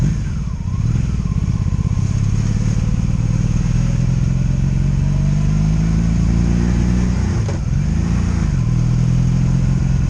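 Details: 2002 Honda Magna VF750C V4 during a rebuild, first warm test ride running non-stop, with no ignition cuts or bucking; jerky transmission. An even exhaust drone rising and falling cleanly with the throttle, with no stumbles. Smooth running.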